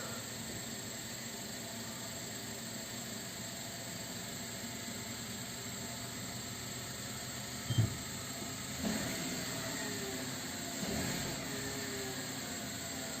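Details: 2018 Renault Megane 1.2 petrol at about 37,000 km, run for a minute after an oil and filter change to fill the filter; brief crank, then it settles into a smooth, steady idle hum with no knocking or misfire.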